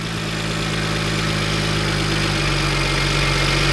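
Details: Salvage BMW 1M after front-end repair, first warm-up run: steady, even idle hum with smooth low drone and no misses, knocks or ticks; normal idle.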